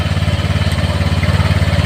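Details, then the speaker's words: Honda Vario 150 scooter whose starter would not work, after moving the starter wire, restarted on the button: even, steady low putter of about eighteen beats a second with no misses or knocks; clean, healthy idle. "Nih, saya tekan lagi tombolnya. Ya teman-teman, hidup ya teman-teman ya."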